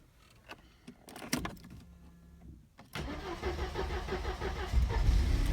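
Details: 1986 Mercedes W124 230E, automatic, hard cold start: it barely starts without starting spray, with clicks and a faint hum before it catches into a rough, uneven idle. When warm in D or R, idle drops to 400-500 rpm and sometimes stalls.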